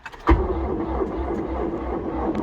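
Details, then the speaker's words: DX390 at about -12°, oil pan heater plugged in for days, battery tender on: the starter thumps, then grinds in a laboured, uneven churn without catching. Surprisingly slow, hard cold crank. "So I'm surprised she's turning over that hard even with the battery t"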